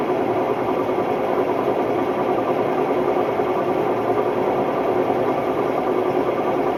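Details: Hotpoint Ultima WMD960 washing machine on a test spin: a loud, steady, rough roar with a gritty rumble right through the spin, from worn drum bearings.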